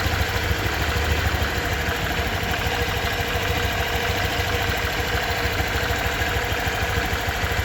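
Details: Honda Vario 125 2023 scooter at just over 1000 km, engine sound check: smooth, even low putter at steady idle, no ticks, knocks or hunting; owner reckons it runs smoother than at 500 km; normal idle.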